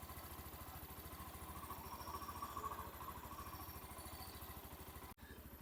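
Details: Hero Xtreme 125R at 11,268 km, mic held near the engine, idling without throttle: even single-cylinder putt, about three to four beats a second, no knock or tapping despite viewer concerns of rattling; normal idle.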